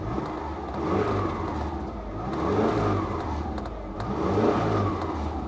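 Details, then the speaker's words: Subaru Outback at auction, no dash warning lights: three light throttle blips rising and settling smoothly with even note, no knocks or rattles; engine sounds good. "Sounds good."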